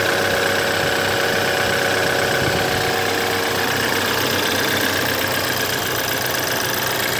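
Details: BMW F10 2011 with N20B20 petrol engine idling with a busy metallic rattle and whirr: timing chain noise, recorded before timing chain replacement.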